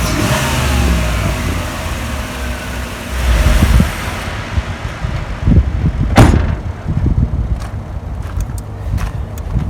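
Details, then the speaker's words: 1987 Camaro IROC 350 V8, original engine at 115,000 miles, first start after top-end rebuild with cleaned injectors swapped in and vacuum lines replaced: fires with a brief rev, settles to a steady even idle around 600–650 rpm, no check engine lights, healthy, no weird noises. "So it's got a nice idle. It's idling right about 600, 650. No check engine lights. Everything seems solid. The motor sounds really, really good, really healthy."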